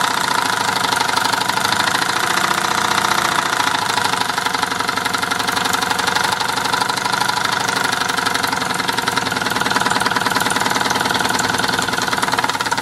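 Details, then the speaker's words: Mamod twin-cylinder toy steam engine idles roughly with a fast, uneven chuffing knock of about four beats a second and a hissy clatter, sounding like a diesel; owner asks whether it sounds right. "sounds like a diesel M it idle bit rough"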